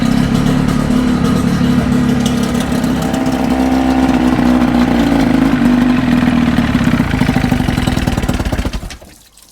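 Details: 1979 Evinrude two-stroke outboard on a 1972 Glasspar boat: loud, steady two-stroke buzz with a fast even beat, running smoothly before cutting off; runs normally.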